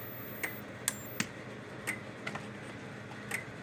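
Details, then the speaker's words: Kencove KF13000 electric fence energizer on test before repair: sharp dry clicks about once a second in a quiet room, the transformer discharging pulses, showing both boards are working. "The clicking sound itself comes from the transformer, because when the power discharges into the transformer, that click sound is the transformer itself pumping the power from here to here."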